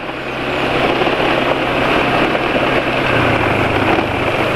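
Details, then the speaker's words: Idle after switching to Meditran SX Ultra oil (previously Mesran blended with 20% additive); front-engine ticking now gone, quieter than before, smooth even low hum with no clatter; normal idle. "kali ini sudah pakai oli Meditran se Ultra GLX ternyata suaranya lebih Hening daripada kemarin kemarin pakai meteran terus campuran KCL 20% 1 sgr 2 sachet lebih senyap ya"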